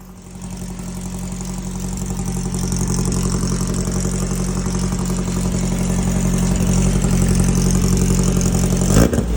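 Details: VW Baja air-cooled flat-four upgraded from Kadron to Weber-style carbs, rejetted (main was 115, ended with 52 jet): revs up cleanly, steady even rumble, crisp throttle pickup; carburation sounds sorted.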